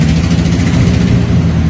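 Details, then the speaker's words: Drift Mustang started at work after sitting four years, with new fuel tank, pump, lines and filter, and exhaust headers not fully on: loud, lumpy, uneven low rumble with no clean idle. Owner suspects bad old fuel, unconfirmed. "I got it running at work. Right, it fired up, it ran like shit. It sounds like a car from fucking Mini Grand Prix!"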